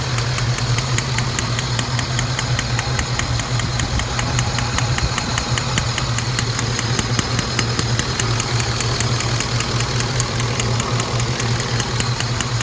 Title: Saab 9-7x clicking sound after spark plug install